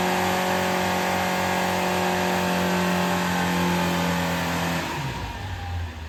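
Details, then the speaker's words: Scrap Vauxhall Corsa B track car with freshly rebuilt C20XE engine on carburettors, dyno run after carb tuning; strong, steady high-rev howl holds clean at full load, then drops smoothly on lift-off. Made 210 hp, no leaks. Normal. "The car's done us proud. No leaks, no problems. I'm well happy. It has made 210 horsepower, which is what we expected."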